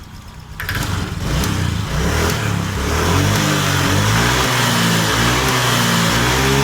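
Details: Honda Vario 125 scooter, complaint sluggish and underpowered, revved after fuel pressure check: pressure now over 40 PSI versus 20 PSI initially, low pressure blamed for the sluggishness; picks up cleanly from idle, revs smoothly, no hesitation. Normal revving.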